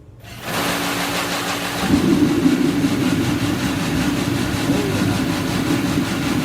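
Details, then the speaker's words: Master kerosene space heater after cleaning the fuel nozzle and setting pump pressure, tested with top off; lights within half a second and builds to a steady even roar with constant low hum; burner firing normally. "right okay that sounded really good so uh it generally they'll run a little bit differently with the top on here"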